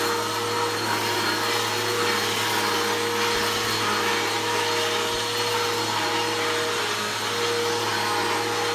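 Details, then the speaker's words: Bissell PowerForce Helix 1240 upright vacuum (newer upgraded version) running: steady motor roar with a thin, constant, rough-edged whine; brush roll bearings going out, not the motor, so the brush roll needs replacing very soon. "you can hear the bearings are going out in it um not the motor the brush roll um the bearings are out in the brush roll so the brush roll need to be replaced"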